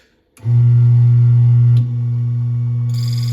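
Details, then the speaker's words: Mythos Clima Pro espresso grinder: steady low motor hum, then a thin high chirp as the burrs touch when dialed too fine; back off until barely heard to set the zero point. "Okay, so when you heard those burrs touching each other, that chirping sound, you're gonna back off a little bit so you hardly hear that."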